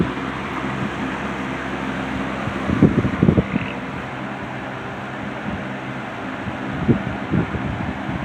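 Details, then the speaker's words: C&H Whizzer 20-inch box fan with replacement motor swapped from another box fan (original GE two-speed motor had issues); soft steady air rush over low hum, a few light bumps early, running evenly; normal operation. "This has a really good really good low speed."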